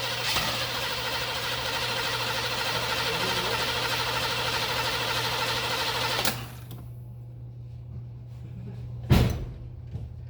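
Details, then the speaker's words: Engine cranking with a radiator cracked and empty, each compression stroke audible, with a slightly lopsided beat at about three pulses a second where one stroke skips; owner suspects a sticking valve or hydraulic lifter. "All right, so I don't know if you guys just heard that. It was skipping like that. Right before I stopped cranking it, the skip I thought went away, so I cranked it again. It went away. It could be a sticky valve, a sticky lifter, most likely a hydraulic lifter that was sticking."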